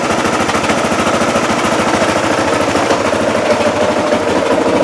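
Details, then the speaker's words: Motorcycle that wouldn't start, found frozen up, fairings and plastics removed; now crisp regular single-cylinder popping at steady quick idle, no misses or knocks, running cleanly. "so yeah runs very cleanly now but no luck today"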